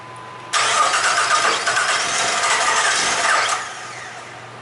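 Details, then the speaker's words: Jeep Liberty after an engine swap and cam gear replacement: about three seconds of steady cranking that never catches. Spark timing checked against the compression peak on the number two coil is erratic and inconsistent. "well that one was on it's all over the place let's see here it's inconsistent at best"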